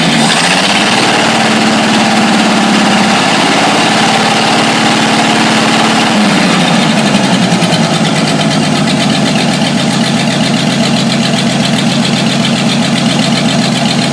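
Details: 1949 Studebaker truck after fixing a vacuum leak: a brief higher-pitched start settles into a steady, smooth, even petrol idle with no hunting or hiss; normal idle.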